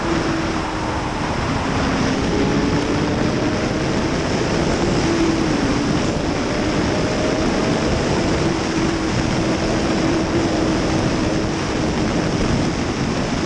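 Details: 2005 Suzuki GSXR 750 riding under acceleration after transmission repair with worn gears replaced; engine pulls smoothly amid heavy wind rush, no surging, flaring or slipping. Sixth gear no longer slips; normal acceleration.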